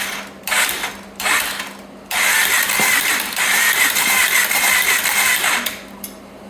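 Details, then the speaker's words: 2014 Polaris Sportsman 570 ATV engine after rebuild, on a weak battery: short bursts of steady, even cranking with a light ratcheting whir and no binding or clunks. Engine turns over normally. "seems like it's working fine."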